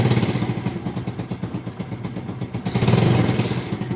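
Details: Motorcycle that would not start after sitting over the holiday with a flat battery, now after a half-hour battery charge: the small single starts and idles fine, thumping at a steady, even beat of about four pulses a second.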